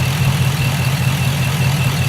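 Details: 2006 Chevrolet Impala SS, 5.3L LS4 V8, 69,000 miles, with P0300 stored: a deep, lumpy, shaky idle with no steady rhythm, random misfires across all cylinders; plugs and wires suspected.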